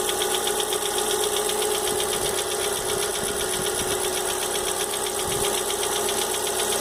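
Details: Fox idling with engine noise the owner can't identify. A light tapping knock of roughly two to three per second sits over a bright engine hum. Knocking noise, cause unconfirmed.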